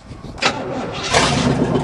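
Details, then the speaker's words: 1978 Monte Carlo 305 V8 in a 1963 Allis-Chalmers loader after 5.5 years parked, antifreeze added, fed from a gas can, no squirted fuel: starter whirs, catches, runs rough and stumbles cold, needing throttle. "Yeah. Whoa, I guess we do need to give it some throttle. Yeah. Push that throttle."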